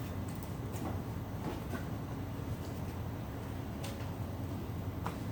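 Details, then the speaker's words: Panel wiring with six relays, energized at the switch: a few sharp, dry clicks at uneven spacing over a low steady hum as the relays pull in. Normal relay clicking. "Nanti kalau salah K hidupin ini bunyi cetik cetik cetik cetik karena ada enam nih ya saya Hidupin dulu ya"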